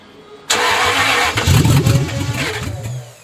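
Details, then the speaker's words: Jaguar after head gasket work, new mass flow sensor just fitted, poor-quality fuel in tank: starter churns, uneven firing pulses nearly catch then fade; cranks but won't start, cause unconfirmed. "Gosh, you nearly went there. He's trying to. Don't forget we've got horrible fuel in it."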